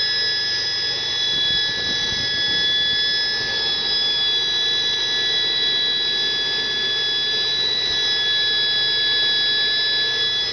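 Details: 1971 Chevy Nova, 260 inline-6 with Offenhauser intake, Holley 390 carb and split headers: a steady high whistle over the quiet idle from a vacuum leak.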